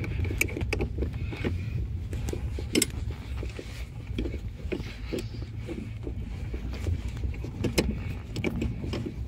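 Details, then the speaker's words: Renault Logan rear shock absorber knocking over bumps on rough road, like a loose rear muffler, with road rumble; top nut tightened almost fully as usual after shock replacement causes it, fixed by slowly backing off the nut until knock stops. "Вот он , этот стук, как будто глушитель сзади расшатался. Гайка затянута почти до упора."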